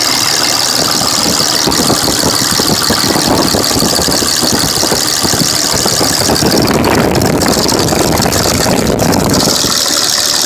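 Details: 2005 Dodge Cummins diesel at idle: loud, uneven, lumpy clatter with a steady squeal over it; misfire from a cracked injector leaking fuel into the oil, blowing white and black smoke.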